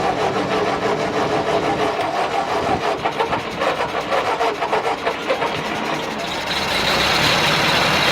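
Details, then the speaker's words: 1950 Ford 8N tractor, first start in 12 years after carburetor cleaning, fresh fuel and rising compression; the old four-cylinder catches and settles into a loose, lumpy beat of about three pulses a second, running on its own. "alright guys well there you go we made some heat"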